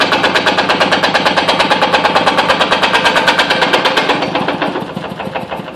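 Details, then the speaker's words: Kubota 508cc stationary diesel at low throttle sitting on bare concrete: a sharp, rapid metallic clatter as the engine chatters against the hard floor, with rubber padding planned to stop it. "really doesn't like that concrete you can hear chatter i'm gonna put some some rubber stuff underneath it so it doesn't chatter"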